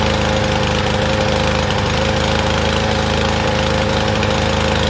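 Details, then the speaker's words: Troy-Bilt TB110 push mower, about 10 years old: uneven, loping beat about three firings a second with ragged rich stumble, as if choked; from a dislodged carburetor part hitting the main jet. "Okay, I bet you that was on I wonder if I did that, but it was running like it was on choke."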